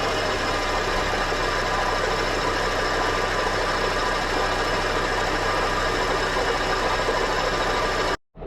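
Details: Honda K24 engine at idle: steady harsh continuous grinding from engine compartment, first suspected top end; noise went away with belt removed, AC compressor pulley found the culprit; AC compressor grinding.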